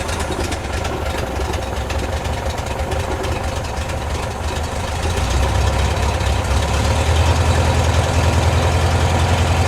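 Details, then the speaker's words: 1972 VW Bus air-cooled flat-four after tune-up and oil refill, started cold: even low burble, steady firing with no knocks or misses; sounds good and runs smooth. "sounds good it's running smooth"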